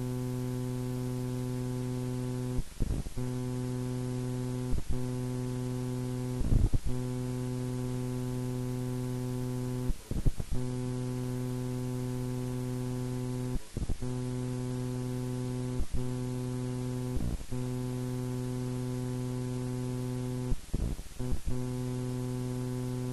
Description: This noise is being generated and leaking into my recordings on my Edirol R4 Pro.